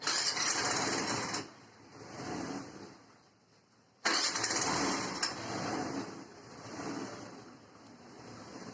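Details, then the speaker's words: Hero Duet scooter after repairing its engine noise complaint, with the body panels refitted: two short start-ups, each catching quickly and settling into an even, steady beat with no knocks or rattles; normal running. "तो engine का sound तो बहुत बढ़िया हो चुका है आप लोगों शायद मोबाइल में ना सुनाई दे रहा है बट यहां पर बहुत बढ़िया आवाज ऐसे हमारी होनी चाहिए"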